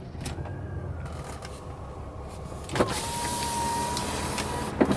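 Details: 1992 Mercedes-Benz 300E W124 power window in operation: a smooth, even motor whir with a steady pitch and no grinding or binding; healthy, though the rear windows have bad regulators.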